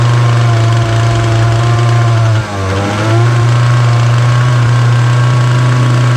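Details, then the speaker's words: Titan multi-tool strimmer, nearly 6 years old, on choke after tightening the carburettor adjusting screw: a loud steady buzz at one pitch with a brief sag, never reaching full revs. Fuel lines look worn. "It's starting, but it still ain't right. It's not getting to full potential of the revs."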